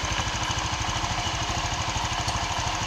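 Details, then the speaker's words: Honda Vario 125 scooter that stopped suddenly on the road with a rough noise, after the bolt found loose inside the case was retightened: it starts again with a steady idle putter of about three beats a second, no grinding or rattle; runs smoothly. "Oke, hidup teman-teman. Karena kalau ini lepas, tentu nggak bisa di starter teman-teman."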